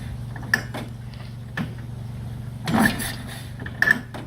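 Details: 1946 Indian Chief, original restored V-twin engine, first run after about 12 years in storage: low, steady idle under a few loose handling clanks; runs evenly and sounds healthy.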